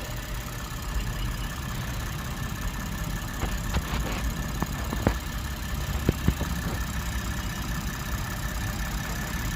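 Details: 2007 Lexus GS300 with a crank-no-start complaint and no engine light, now starting and idling normally: a steady, even low idle hum with a few faint background ticks.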